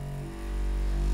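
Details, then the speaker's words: Bambu Lab A1 3D printer on first power-up running vibration compensation: low steady tone stepping up in pitch through 29, 30, 31 Hz while loose items on the table buzz; normal calibration. "all right now it's doing vibration compensation and it actually shows you the HTS here 29 30 31"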